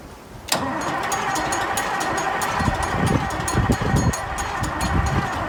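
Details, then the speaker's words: Massey Ferguson 1155 tractor diesel, previously seized, cold day outdoors: steady cranking about three pulses a second that never catches; turns over but no fuel, owner cites fuel delivery issue. "Okay, so for the moment I'm suffering a fuel delivery issue."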